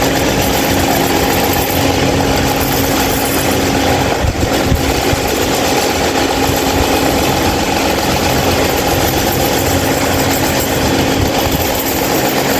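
Constant loud droning hum with a steady mid-pitched tone and rough rattle underneath, unchanged throughout; abnormally noisy fan, cause unknown.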